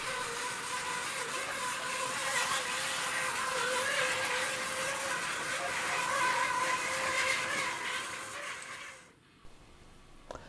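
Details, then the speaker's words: 2006 Hornby EWS Class 60 model locomotive hauling China clay wagons, run with sound off: steady high whine with buzzy, rattly edge, fine slowly but much worse as speed rises, cuts off at stop; noisy drive, cause unknown. "so if you run it slowly you know it doesn't seem too bad at all does it um but as you rack up the speed then it seems gets really bad and it doesn't sound very nice as you can hear here"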